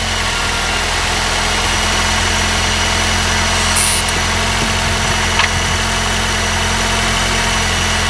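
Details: Honda R20A3 engine, cold start, mic in engine bay: steady cold idle with faint hollow knock under engine note; suspected piston slap, louder the colder the weather, disappears after a few minutes, worst around 0:33.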